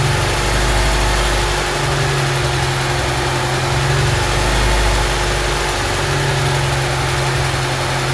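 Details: Honda Civic EG Mugen hatchback four-cylinder idling just after valve seals, timing belt and water pump replaced, distributor set, before coolant top-up and bleeding: smooth, even idle with steady low hum, no knocks, ticks or hunting; healthy.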